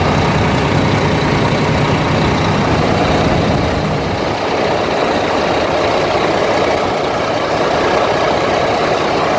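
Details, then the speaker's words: International diesel truck after compound turbo change and exhaust pipe fix: steady idle with even rumble and rattle and no hiss of escaping exhaust; running smooth with no leaks. "there you go she's running it's running smooth everything's put back together you can see no leaks"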